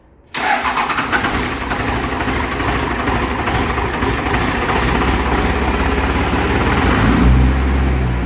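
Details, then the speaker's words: Diesel engine first start after timing was set from 13° to 24° and the injector lines were removed: engine catches into an uneven, lumpy, stumbling idle because three injectors had no fuel until they primed. "good so it made that noise because three injectors had no fuel but three did"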